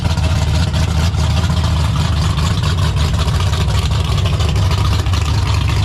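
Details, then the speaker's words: 1972 AMC Javelin, AMC 401 stroked to 431 with aluminum rods and stroker crank, built 1996 and first run yesterday: deep, heavy, even rumble with no misses, knocks or rattles; normal running. "So almost 30 years ago that motor was built and then never ran. So pretty wild it runs as good as it does."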